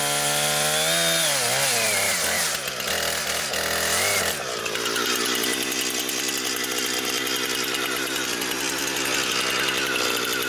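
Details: Brand-new Husqvarna 460 Rancher chainsaw, first run, cutting wood. High buzzing two-stroke scream bogs slightly into the cut and holds strong and even. Normal running under cutting load.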